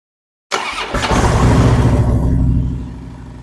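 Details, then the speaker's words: Harley-Davidson Street Glide after installing a Screamin' Eagle compensator for hot-start issues and noises, with the primary refilled: catches straight away, a short rev, then an even V-twin lope; starting, charging and clutch all good. "all right I'm tickled everything's in good shape starting good charging good clutch seems to work fine"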